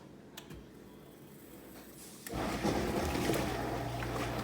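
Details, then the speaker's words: Whirlpool Quiet Partner dishwasher after cleaning a clogged filter screen (chopper blade broken, replacement ordered), hot water; pump kicks in and settles into a smooth steady hum with water swishing, tons of pressure versus barely any spray before; normal wash pump operation. "pump is running for a second let's see it's normal operation yeah water's hot so so everything sounds like it should tons of pressure"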